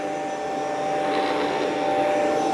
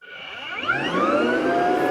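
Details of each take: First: Rainbow PN12 power nozzle, 1.2 A, refurbished with a new belt; steady, even high whir at constant pitch with no rattle or slipping as the brush roll spins up, much faster than before. Normal running. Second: Rainbow PN12 power nozzle (1.2 A, brush roll), squashed from sitting on cement, during refurbishment with new belt: whine climbs in pitch as motor spins up, then holds steady high tone; brush roll may be binding.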